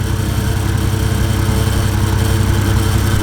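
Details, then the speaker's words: First start-up of a 1JZ-VVTi inline-six swap: a quiet, smooth, even idle with a steady low hum and soft exhaust pulse. Engine and exhaust both quiet, so it sounds normal. "it sounds really good it sounds really good quiet really the engines quiet the exhaust is quiet and it's smooth"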